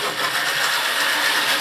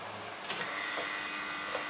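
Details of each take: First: Deep burgundy/maroon model railway locomotive, all right once past the straight section. Steady, even whirr with a faint high hum, no stutter or dropouts at speed: normal running. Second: Model railway N2 mainline locomotive, jerky in motion, keeps stopping and starting and is hard to get going from a dead stop. Wheels and motor shaft already cleaned; owner suspects warm motor brushes. Brief motor buzz, then it stalls into scattered clicks and spurts.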